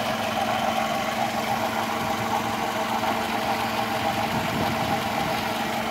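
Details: Toyota Camry (2002–04/05), just bought, idling: a faint fast ticking and slight rattle above the engine hum under the hood; owner asks if normal; unidentified under-hood noise at idle, cause unconfirmed.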